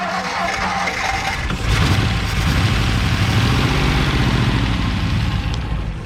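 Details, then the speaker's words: 1957 Ford Fairlane 500 V8 sitting 30+ years, after a new ignition ballast resistor: catches and settles into a lumpy but steady idle running on its own; resistor fixed the ignition issue. "listen to that thing run all right we know the resistor works"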